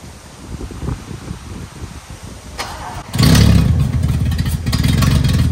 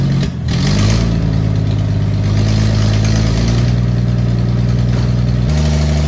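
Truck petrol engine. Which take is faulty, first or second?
second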